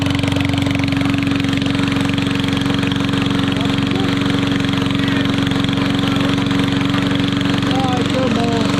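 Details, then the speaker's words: Yard Machines 22-inch push mower with Briggs & Stratton engine, after mouse nest cleaned: loud, raw, rapid unmuffled crackle at steady speed; runs evenly but the muffler is missing. "i think it runs pretty good it just needs a muffler it's really loud"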